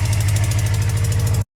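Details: Motorcycle on a cold start after sitting for 4 months. Quick, steady tick at about ten a second rides over the low engine thump at idle; the ticking comes from an exhaust leak.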